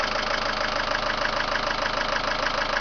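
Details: 2001 Mitsubishi Lancer Cedia GDI 4WD at idle before repair: a fast, even ticking of about three per second from hydraulic lifters; lifters due for replacement along with a leaking radiator.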